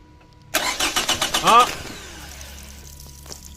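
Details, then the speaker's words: 2006 Toyota Camry automatic, not starting after an alternator replacement: about eight quick starter pulses, then it stops without firing, crank-no-start; fuses, relays, battery and fuel pump were checked. "so hindi pa naman siya starting cranking pa lang so pagka naging Dito dapat aandar na siya pero pag hindi naging hindi siya andar"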